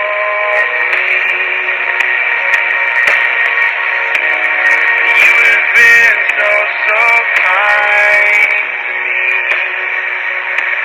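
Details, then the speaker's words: 1962 Emerson 707 transistor radio on slightly under 4.2 V, playing an AM bluegrass station with lightning nearby: thin, tinny music and singing with light static; normal AM reception. "foreign actually doing pretty good [Laughter] there is some lightning just heard it I had a full 4.2 volts would probably be a little stronger"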